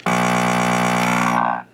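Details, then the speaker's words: RCA 66X1 radio, radio section: with the radio humming, pressing the button gives a loud steady buzz with no test tone coming through, then cuts off; the 12SK7 RF amplifier tube is believed bad. "that's the noise I get when I press the button and no tone obviously so I think that's just what Bob is correct I believe that tube is just bad"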